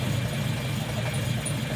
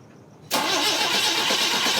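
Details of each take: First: Volvo on carburetors without choke, filters on, in neutral, just started after the carbs were flooded: steady, even low idle with a smooth unbroken beat, no stumble or popping. Nice, healthy normal idle. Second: Volvo on D-Jetronic fuel injection, just started: catches suddenly, runs rough and uneven with a thin hissy note. Line holds pressure, but it fires on only two cylinders because the other injectors aren't spraying; misfire.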